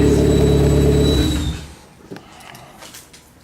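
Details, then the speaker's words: Engine running after a used replacement alternator was fitted: thin, steady high whistle over the engine that dies as it shuts off; whine persists, so not the alternator, source still unknown. "I really wish I knew where that noise was coming from it is really annoying"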